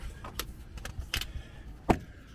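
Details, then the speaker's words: 2011 Ford Focus Mk2: short irregular creaks and squeaks as the front end is bounced, suspected broken spring, bushing or ball joint, but actually from the front headlight leveling sensor linkage. "And I put my finger on here and in there is the only time you it makes a noise."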